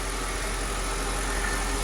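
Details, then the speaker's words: 2006 Mercedes CLS500 (C219) V8 after replacing two faulty coil packs that caused misfires; steady, smooth, even idle with a low hum and no skips or stumbles, running clean and responsive. "the idle was very smooth very responsive this 06 cls 500 has a lot of power it feels good feels like a mercedes is supposed to feel"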